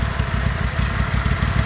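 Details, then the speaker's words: John Deere L130 riding mower after a deck bearing housing replacement for failed bearings, first start with the deck reinstalled: steady, low engine thrum with even pulses, no grinding or deck squeal; issue fixed, normal running. "Yeah, that definitely fixed the issue."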